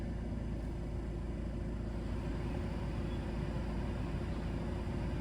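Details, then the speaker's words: 2023 Vauxhall Vivaro heater: steady air rush with a low, constant electrical buzz from the blower motor, audible even on low fan settings where little air flows. "But then you can hear a humming. It's not a humming, it's like a buzzing sound."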